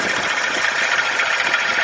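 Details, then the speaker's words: 1997 Ford Ranger 2.2L four-cylinder, no AC, idling just after a serpentine belt change: light, fast clickety tapping over the run from the belt drive; worn idler pulley suspected, likely to fail and break the belt. "hear that clickety tap noise"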